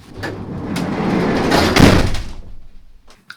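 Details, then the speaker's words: Peugeot Boxer L2H2 van sliding side door before sound deadening: a long sliding rumble ends in a loud, hollow, ringing slam, the bare sheet-metal panel booming before Dodo Mat is applied. "so let's do a side by side comparison the side door without sound eding and later with sound eding let's see how that goes okay so this is how it sounds"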